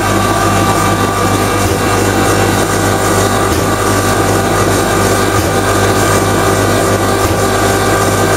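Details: Common rail diesel injector on calibration test bench after turbo failure raised combustion temperatures, over 500 shots: loud constant pump drone, rapid even firing, short dip about every two seconds; normal injector test run.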